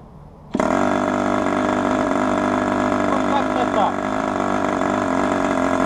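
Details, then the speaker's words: Raduga R10R 10 cc glow model engine with a large propeller, being broken in at open throttle: piston now moves smoothly without earlier grinding, and it starts easily and holds a steady, even, high-pitched scream. "Поршень плавно начал ходить,нет скрежетания. Заводим сейчас и контрольно измеряем. Заводится просто превосходно."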